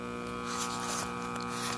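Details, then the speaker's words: AirCastle 5050 All American Five tube AM radio: steady low buzzing hum with no programme; 35W4 rectifier tube dead with 26 volts B-plus and 13 volts AC ripple, filter capacitor also failed. "z5 or whatever that thing is Oh 35 w4 sorry is dead with twenty six volts b-plus and if I put it on AC we have 13 volts AC so the filter is dead and the rectifier tube is dead"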